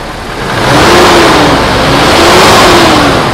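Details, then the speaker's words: 2005 Toyota Innova (2015 upgrade) revved after engine overhaul fixing oil and coolant mixing into milky fluid, radiator cap off; swells smoothly under throttle and eases back with no knock, tick or misfire; engine smooth again, revs clean. "mesin mesin sudah jadi alus kembali mesin enak kaki-kaki enak mobil enak tinggal ngolah bodinya"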